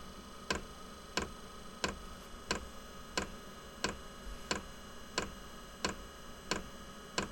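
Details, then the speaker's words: Inexpensive diesel heater at startup in a workshop: sharp, even ticks about ninety a minute over a faint hum, described as the glow plug and priming ticking. It is normal and stops after the priming and initial startup. "louder and from what I've seen that loud ticking goes away after it finishes this priming and uh initial startup"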